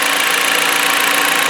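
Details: 2016 Jeep Patriot 2.0L inline-4 that had cylinder misfires and a check engine light, now after a 24-hour Piston Clean carbon soak, warm-up and oil change: steady, even idle with a smooth hiss and no misses, knocks or surging. It idles healthy.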